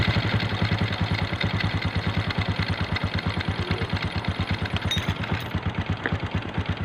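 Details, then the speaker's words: Small 125 motorcycle that was misfiring and stalling now runs after a new carburetor is fitted, idling with an even, steady putt-putt and no skipped beats. "Mga boss umandar na siya. Okay na yung kanyang hand. Hindi siya kaya kagaya ng palyado."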